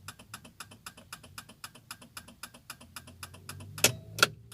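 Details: Ford Fiesta Zetec Rocam with a turn signal that stopped working: steady quick ticking around two and a half per second, then two sharp clacks; signal clicking but not working; suspected relay fault, poor electrical contact or worn stalk switch.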